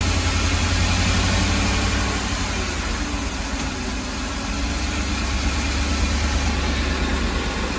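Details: Ford E-350 shaking at idle with no misfire code stored; low, lumpy idle that swells and sags every few seconds instead of holding even, cause unclear; rough idle.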